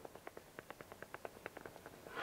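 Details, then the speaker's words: Rear sway bar link ball joint on a 2006 Ford Mondeo MK3, rocked by hand: dry, irregular clicking about six per second; the joint has heavy play and no grease left, worn link to be replaced. "hier sieht man übrigens auch ganz gut den Defekt das Ding hat nämlich Spiel wie sonst was hier ja hier ist kein kein Fett mehr drin diesem Kugelgelenk"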